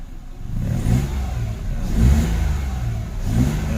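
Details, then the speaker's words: Mitsubishi Mirage after spark plug replacement; a worn plug had caused misfiring and stalling when the accelerator was pressed. Three clean throttle blips rise and fall back to idle without stumbling; normal revving before a shutdown and restart test. "okay naman siya. O t's ngayon gagawin natin is papatayin para kahit papaano ma-testing natin kung anong nangyari."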